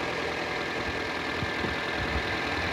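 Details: 2006 Toyota Corolla after alternator replacement, now charging at 14 V. Steady, even idle with only a faint constant high whine; the earlier noise is gone or much quieter. Normal idle.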